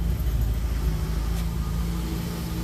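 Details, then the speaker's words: 1966 Renault Dauphine, fresh spark plugs, possibly bad gas in carburetor bowl, just started: smooth, even low rumble holding steady idle, no misses or knocks; started up nice, running cleanly. "Key is on. I don't know if I should pump it or not. Ooh, that started up nice."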